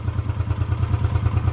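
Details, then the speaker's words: 1972 Honda CB350 twin, warm after riding, idling after new coils, points and petcock, cam chain and valve adjustment, cam seal replacement and rebuilt carbs. An even, low putter with no misses or clatter; normal, well-tuned idle. "she just purrs like a kitten um where do you see the ride she screams man it's just what a great little bike to ride"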